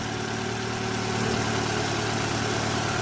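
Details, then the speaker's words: 2011 Toyota Vellfire ANH20, 2AZ-FE engine after balancer shaft replacement: steady, even idle with smooth low hum and no roughness; sounds smoother than the rough pre-repair noise. "Oke Bang starterah ini suaranya beda kan ini kalau suara balancer normal seperti ini ini sudah diganti [Musik] balancernya kedengarannya lebih halus"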